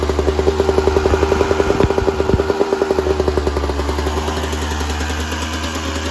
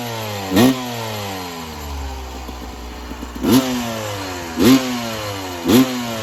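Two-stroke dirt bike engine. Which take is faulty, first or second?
first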